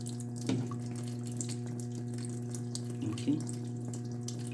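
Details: LG washing machine after repair of error IE (water inlet fault): strong steady rush of water into the drum over a low even hum, no sputtering; inlet filling normally.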